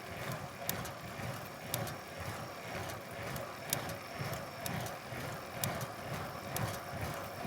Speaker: This time however the ticking came from the bike itself or from the frame you could say. So this noise I got is one of those really irritating ones it's only appears want you to stand up and when I put power down the right leg